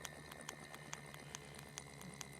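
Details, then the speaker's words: Berdair pump motor driven by an adjustable PWM signal generator at 15% duty cycle: faint steady low-pitch whine with a light tick about twice a second, the motor singing because the PWM frequency is set too low. "the downside is let's say we've slowed this down hear the the wine starting from the motor the low pitch wine"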